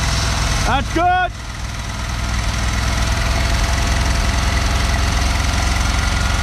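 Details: 1974 Dodge W200 with 318, being run with water and ATF poured into the carburettor: short squeal, then uneven lumpy idle with irregular loose beat under a low rumble; rough running, cause not pinned down.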